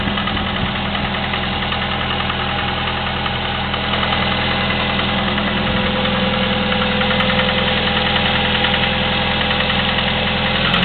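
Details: Chevy S-10 2.2L at 154K miles with Flowmaster 40 exhaust, clicking for the last 45K miles: steady idle with light regular ticking about three per second; valve train ticking at idle.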